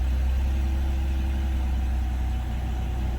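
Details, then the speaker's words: BMW 328i xDrive, 2007-2011 generation, previously a crank-no-start from a fuel problem found at the fuel pump, long sat and needing a tune-up: now starts and holds a steady, low, even idle with no misses, knocks or hunting. "So now this bad boy starts. See if I can get this in my pocket."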